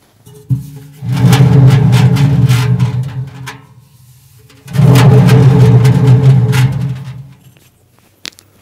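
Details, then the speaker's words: Electrolux/Zanussi/AEG-type narrow washing machine, microphone placed inside the drum, drum spun by hand both ways: two rolling, gritty rumbles; the drum bearing balls are worn out and the bearings need replacing. "этот звук означает что шарики у подшипника они уже стали не шариками а квадратиками и за этого такой звук неприятный"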